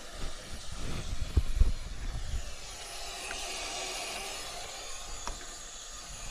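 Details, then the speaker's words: Car heater core tested with hoses reattached and water under pressure, after bubbling noises: a strong, steady hiss of escaping water rising over a few seconds, showing the heater core is cracked and leaking. "to za dużo syczy aż tak mocno leci o nagrzewnica"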